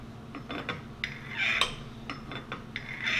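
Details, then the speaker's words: Hand-tapping an acme nut in customer-supplied brass on a lathe, tap driven from the tailstock centre: short, sharp squeaks on each turn as it gets tighter. The tap is starting to bind and is kept wet with Tap Magic. "You hear that squeak? It's starting to get a little tighter."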